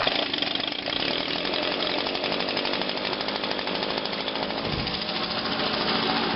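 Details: 2009 Echo PB 251 blower, last run Friday, started on choke with about five primes: fires quickly into a high raspy two-stroke buzz that holds steady without stumbling; normal start and revving.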